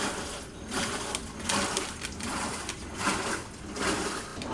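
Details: LG WT1101CW direct-drive washer, after replacing a failed $2 component (OMIH-SH-112LM) on the control board that kept the drain motor running: rhythmic swish-and-reverse agitation about once a second, even, no knocks or grinding; normal agitation.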